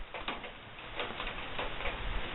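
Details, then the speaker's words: Barrel woodstove after all air was shut down, stovepipe having hit about 600 degrees; sparse irregular metallic ticks over soft rushing as the overheated pipe cools; thermal ticking of overheated stove pipe. "don't want too hot of a pipe that's just dangerous that's the sound what it's doing trying to cool down a little bit"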